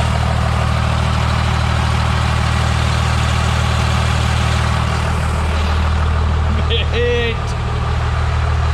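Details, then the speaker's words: First-gen Cummins diesel with automatic transmission (new filter, bands adjusted, fluid temp under 140) idling to cool turbo after hard runs: deep, steady rumble, even firing, no knocks or misses; healthy idle, lots of blow-by. "That was some pretty hard ripskies, but she just takes like a freaking champ. She just sounds so mean. It's amazing."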